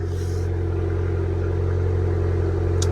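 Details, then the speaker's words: Abarth Fiat 500 petrol engine starting up after service (oil, oil filter, air filter) and an engine earth wire replacement: smooth, healthy running with raised tick-over expected to drop in a few minutes. "go you hear that that's the starter water but it all starts up fine got oil levels are lovely uh it will start to slow down in a few minutes the the tick over but everything's fine"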